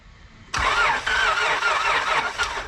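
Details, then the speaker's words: Car that died on the owner, no mass airflow sensor, mobile repair: starter whirs and cranks for about two seconds with a harsh, rough note but never fires; does not start; mechanic asks about oil; crank no-start. "right, does it start at all? No. It does not start any longer."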